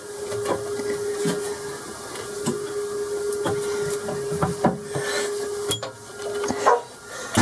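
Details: Boxford lathe cabinet drive unit after replacing pulley spindle bearings and drive belt, new belt not yet worn in and lightly tensioned; steady mid-pitched hum with a few handling knocks; normal running at higher speed.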